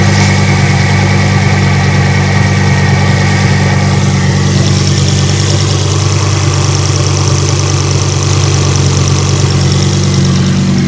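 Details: Ford Focus ST 225 Mk2 at idle, checked after fitting a Focus RS vacuum pipe with no warning lights: steady, even low idle rumble with no hiss, misfire or hunting, engine smooth and settled, sounding healthy.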